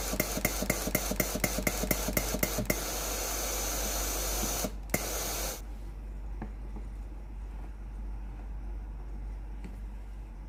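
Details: Philips PSG7014 steam-generator iron with a no-steam complaint, during the diagnostic test before the pump is replaced: a few quick clicks, then a strong hiss for several seconds before it cuts off. Steam output is normal, so only the water pump is faulty.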